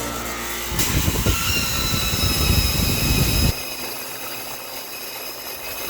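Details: Copeland compressor makes a loud, coarse rumbling roar for about three seconds, then abruptly cuts off, leaving only the fan's softer hiss as the fan keeps running; a noisy compressor.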